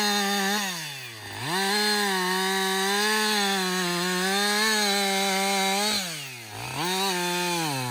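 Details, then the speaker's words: Husqvarna 562XP chainsaw after a dealer software reflash for dying when hot and not starting: a high buzzing engine note dips as it bites into wood, then recovers cleanly to full revs, pulling strongly without stalling. Healthy saw. "so this is a real life scenario right we're cutting we're cutting yeah you keep working this is really the First full tank"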